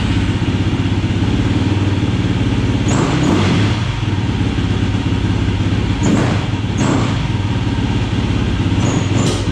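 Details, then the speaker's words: 2007 YFZ450 SE single after a new starter solenoid. Steady thump at fast idle with occasional sharp pops. Running lean; pops stop with choke on, so a bigger main jet and maybe idle jet are needed. "all right she's running lane you can hear from the puppet she's running lead i'm gonna have to pull the cop i'm gonna have to go bigger on the main jet maybe on the idle jet as well"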